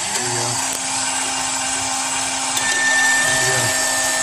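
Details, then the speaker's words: Dolphin S 300i robotic pool cleaner, pump motor with cover removed, impeller previously completely frozen: steady, even motor whir with constant mid-pitched hum and airy hiss, no knocks or grinding; pump motor runs normally. "just want to show that this impeller is working okay it's last time it was completely Frozen"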